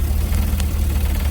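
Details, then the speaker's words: GMC with 6.0 litre engine, warm idle, heard at the throttle body: fast light buzzing rattle like a fan hitting something, suspected from the throttle body motor vibrating as it constantly adjusts the blade to hold idle. "it fluctuates it to hold the idle at a certain point so it's constantly moving slightly and that sounds to me like the stepper motor or whatever you want to call it is vibrating"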